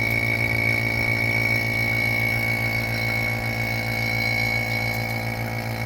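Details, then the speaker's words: Vacuum pump pulling water out of a 2nd-gen Toyota 4Runner air conditioning system during the A/C rebuild: steady motor drone with high whistle and rapid even pulse; pulling vacuum, with no hissing heard at this point. "So that's pulling water out of the system. I don't hear any hissing. You can see we're pulling a vacuum."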